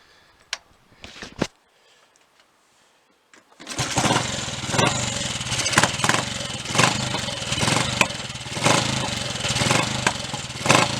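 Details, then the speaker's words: Triumph Tiger Cub single after fixing a misfire caused by a loose distributor that had slewed out of time, re-aligned to the marks and clamped; starts on the first try and settles into a steady, even beat with no missing. "Seems to have got it. We'll have a short run on it shortly and just check, but I'm pretty certain that's got it."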